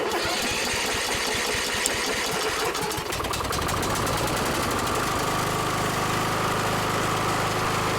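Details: Kohler small single-cylinder engine test run right after replacing the cork valve cover gasket (Kohler 20 041 13-S, RTV silicone, screws about 30 in-lb). Rough first few seconds, then a steady, even putter with no misses or knocks. Running normally.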